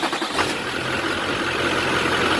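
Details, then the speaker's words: 2003 Chevrolet Silverado 3500 with 6.6L Duramax diesel idling after serpentine belt work: steady, even clatter with no more belt squeak. If the squeak returns, the alternator pulley bearing is the next suspect. "Hey, listen to that, no more squeak."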